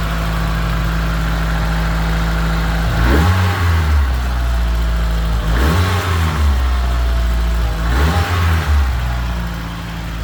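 Steady, even idle, then three quick clean rev blips around the 3, 5.5 and 8 second marks that settle straight back to a smooth idle; sounds healthy.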